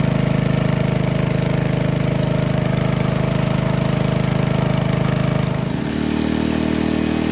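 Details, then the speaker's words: 1951 Briggs & Stratton 6B-SF, 1.75 HP, 3600 rpm rated, cold start at about 30°F, choke only, no primer: crisp single-cylinder putter settling to a lower steady beat; governor spring moved one hole dropped at least 500 rpm. "so well that governor adjustment definitely did the trick didn't it it really slowed the rpms down so just by moving the governor spring from this hole to this hole we dropped at least 500 rpms"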